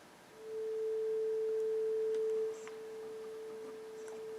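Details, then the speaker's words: Yamaha CR-820 receiver before full restore/recap: steady, pure mid-pitched test tone, clean on both channels with no crackle, dropout or distortion; output functioning, though pots are dirty. "T tone sounds good both channels I don't hear any problems with the [Music] tone so it looks pretty much all functioning"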